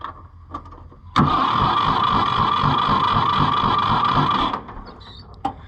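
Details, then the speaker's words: Rusty, neglected auction-bought Ford 4000 tractor, timing uncertain (possibly 180° out), started on choke: catches and runs about three seconds with an uneven, lumpy beat before cutting out; rough running, cause not confirmed. "sounds kind of sick let's get some tools"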